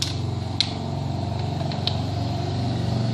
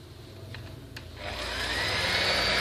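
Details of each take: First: Maspion hand mixer motor, previously opened and glued shut, running: coarse, uneven whirring rasp with scattered ticks instead of a smooth hum; very rough running, cause not yet found before disassembly. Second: Maspion hand mixer, previously very rough-sounding, after rebuild: spins up to a steady, even high-pitched hum with no rattle or scraping; normal motor run.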